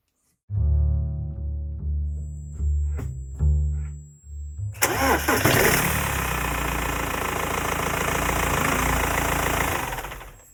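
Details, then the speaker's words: BMW 2.0L M47 diesel after auxiliary drive belt and tensioner replacement for squeal: cranks, catches, settles into even idle with no squeak or belt flapping; music throughout; normal idle. "squeaking. No belt flapping."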